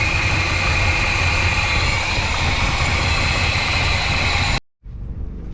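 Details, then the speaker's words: 1985 GMC C25 with 454 7.4L V8 and Turbo 400 transmission, fuel pressure only about 1 psi; runs rough for a few seconds, then cuts out abruptly. Fuel pump failure starving the engine, with the disconnected pump pushing only a drizzle of gas. "This thing just isn't working, guys. I think that pump is done."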